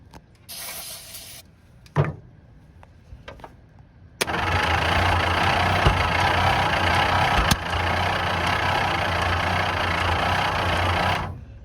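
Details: 1951/1952 Ford tow truck flathead, engine previously stuck, soaked in Mystery Oil, sitting ~30 years, cold evening: steady cranking about four beats a second for seven seconds, never catches cleanly; firing order suspected, cause unconfirmed.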